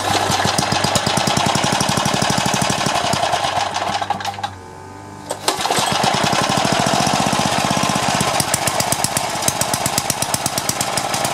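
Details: Craftsman four-stroke edger, Tecumseh engine, throttle about halfway: single cylinder thumping steadily at low rpm, dropping out briefly then returning unchanged, no throttle control.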